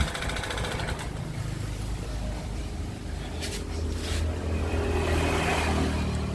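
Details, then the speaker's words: Honda Beat FI scooter engine runs harsh, clattery and uneven with light throttle, with smoke from the exhaust. It is burning oil, and the owner says the top end must be torn down. "nah beginilah suara mesin motor Beat ini kasar apaba dihidupkan ya dan juga yang kedua itu keluar asap di galpotnya berarti motor ini makan oli ya"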